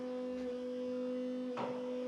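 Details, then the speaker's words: Land Rover Defender Td5 110 with VNT turbo, before tuning, heard close to the fuel pump: steady high electric whine at a fixed pitch; typical of a noisy non-genuine fuel pump. "tell me you've got a non- genuine fuel pump without telling me you've got a non- genuine fuel pump"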